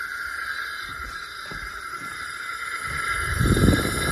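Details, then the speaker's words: Toro Recycler push mower that won't run, engine stopped at top dead center: steady airy hiss as pressurised air escapes out the exhaust, nothing from intake or dipstick; exhaust valve not sealing, not the rings; valves may be too tight. "that's all coming right out of the exhaust Val nothing out the intake nothing out the dipstick I mean that's wow that's a lot"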